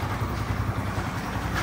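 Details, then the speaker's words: Chinese 70cc motorcycle idling with the clutch held in, after loosening the clutch cable adjuster. The engine's earlier "shaan shaan" whirr with the clutch pulled is gone, leaving a steady low idle rumble with no grinding. Normal idle, clutch disengaged. "अभी ये bike का हमने clutch दबा के रखा हुआ, ठीक है। ये क्लच दबा के रखा हुआ, जो पहले आवाज़ इंजन से अंदर से आ रही थी वो मैंने आपको चेक कराया।"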